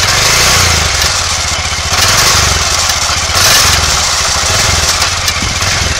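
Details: Aprilia Pegaso 650 (2003–2007) single-cylinder engine running: steady, even thump under heavy hiss, holds idle well, no knocks or misfires, no white smoke; good compression, all gears engage, clutch fine, valvetrain and crank sound correct. Engine healthy.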